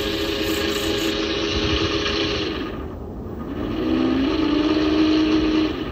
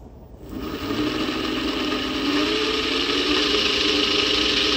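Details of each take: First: 400W three-phase alternator run as a motor at about 69 V: rough, gritty rumble under a thin steady hum; bearings sound noisy. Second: 400W three-phase alternator/motor spun on test: smooth steady whir settling into an even hum, no grinding or growl, sounding quieter; bearings later repacked with better grease.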